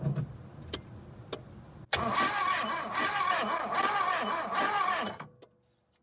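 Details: 1976 Porsche 914 with VW Type 4 engine, first start attempt after 30 years in a barn, points cleaned, WD-40 in cylinder: about three seconds of steady cranking with even compression pulses, never fires; cranking, no start.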